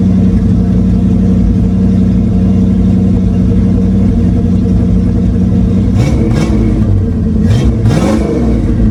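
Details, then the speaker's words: 1976 Ford Granada, 351W V8, on newly built 3-inch exhaust with 2-chamber Flowmaster, tailpipe not yet fitted: deep steady idle with loud open rumble and a couple of clean throttle blips; engine runs fine. "little girl ain't running too bad"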